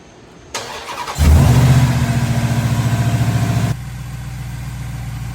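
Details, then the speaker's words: First start after installing a RipaTuned Incognito Predator slip-on pulley and tensioner: the engine cranks, catches and settles into a steady, even idle with no squeal or rubbing from the belt area. "oh yeah everything is just spitting beautifully"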